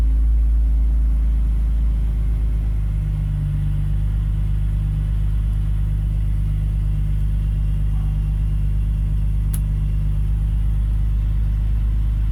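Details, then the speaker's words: BMW E46 with idle control valve deleted, after header repair and injector fix: smooth, steady idle with no exhaust rattle, though idle rpm slightly high, target about 800. "I don't hear any rattles. That's a good thing. RPM. I thought that was too high."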